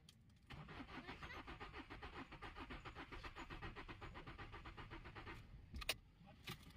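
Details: Renault Kwid that died while running and won't start: after checking coils, starter cranks at an even pulse about five beats a second for five seconds but never catches; cranking but no start, cause not confirmed.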